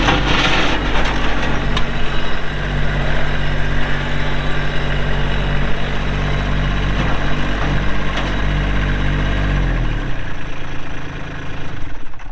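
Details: 2022 Kubota LX2610SU 4WD hydrostatic compact tractor with LA535 front loader, 138 hours, idling; steady, even low diesel clatter with no knocks or misfires, then winds down at shutdown. Normal idle.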